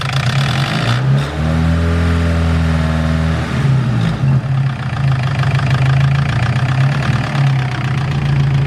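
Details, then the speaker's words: Nissan S15 SR20 with VCT, warm idle and a quick rev before the VCT cam sprocket was replaced: a light, fast clattering rattle over the engine note, very loud in person. Worn VCT sprocket rattle. "now there's terribly loud sounds like the things gonna fall apart and then I'll show you what it's like afterwards"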